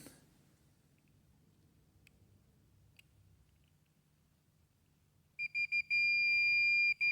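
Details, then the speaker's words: 2012 BMW xenon headlight with water-damaged, burnt headlight control module; multimeter continuity test on connector pin 11, ground, gives a steady high-pitched beep with short breaks, ground pin good on both sides. "So it's hard with no light, but you can hear it beeping. So the ground pin is good on left side, right side, whichever side."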